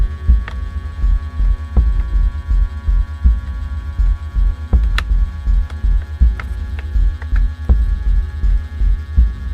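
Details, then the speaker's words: Hornby GWR freight set locomotive pulling wagon, crane carriage and brake van on slow test: loud low buzzing hum throbbing unevenly about every 1.5 seconds; very noisy motor, owner unsure if controller is to blame. "let's do this slow test well that's very noisy let's go forward Sam test slow test very noisy oh listen to that"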